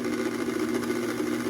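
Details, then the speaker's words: Old Hobart-made KitchenAid stand mixer first test run, loud buzzy rattling hum; bad bearing bracket suspected, allowing heavy vibration in the rear end; excessive vibration from worn bearing bracket. "oh lord she is angry all right so this old girl runs you can tell obviously a little bit noisy so let's go ahead and take a listen to this here this is an indication of there being a bad bearing bracket on the machine and allows for a lot of vibration in the rear end"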